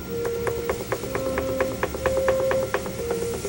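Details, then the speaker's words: Pottery wheel while throwing a goblet stem: a light tick about once per revolution over a steady hum as the bat chatters on the wheel head. "can hear my bat chattering a little bit here on the wheel"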